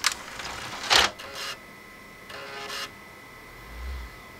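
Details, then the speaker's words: Xbox 360 (Jasper motherboard) DVD drive with Open Tray error, previously cleaned and flashed: a few clicks and brief seeks, then the disc spins up but never reads; moving parts work, laser suspected faulty. "all right so that's about it it makes you know a couple or sounds and then it spins up and that's not it as you can see it did spin successfully so I don't believe you know any of the other moving parts are the issue it's mainly just the laser right here"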